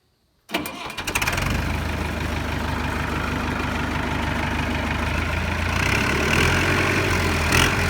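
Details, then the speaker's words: 1964 Massey Ferguson 65 diesel tractor, after bleeding the fuel system: catches after a few cranks and settles into a steady, even idle with clean firing. "as we bled those this thing fired right up i meant to get it on camera but of course i didn't so you missed the first fire but we just rolled it off the trailer let you hear how it sounds"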